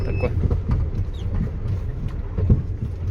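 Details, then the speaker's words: GAZelle Next with newly installed Evotech 2.7 engine, driving over bumps; irregular dull clunks thump through the cab, also on start-up and shutdown. Cause: left-side cab-to-frame mount with one bolt missing and two loose. "то есть при запуске и когда глушит двигатель очень сильно бьет в кузов что-то искал искал короче сейчас поедем когда едешь по кочкам еще больше слышно"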